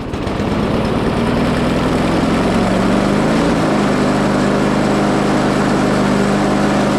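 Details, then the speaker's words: Discarded Craftsman mower after an oil change and fitting the spark plug: the engine runs loud and rough with a heavy, violent shake from a misaligned, bent, out-of-balance blade. "it is very violent and I think I know why."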